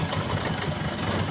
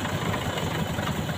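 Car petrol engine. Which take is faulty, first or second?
second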